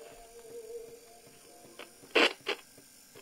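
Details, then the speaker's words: 1959 Clarion transistor battery portable 3-inch reel tape recorder: faint, low, wavering playback with sharp clicks, running very slow and quiet; needs a service, and the knocking is guessed to be the motor going over a rough spot on the wheel after years parked. "so it needs a service they can hear that it's trying to do something but it does all turn"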